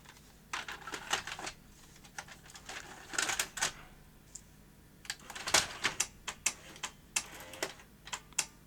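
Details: Philips VR2023 first-generation V2000 video recorder: irregular bursts of sharp clicks and clatter from the tape mechanism with quiet gaps; display then flashes and power cuts, overcurrent trip suspected; cause not confirmed.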